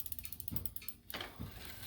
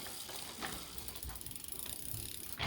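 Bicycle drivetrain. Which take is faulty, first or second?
first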